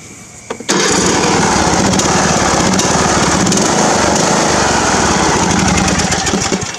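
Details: Craftsman riding mower engine after carburetor cleaning: catches about a second in and settles into a steady, even run with no misses or surging; normal running.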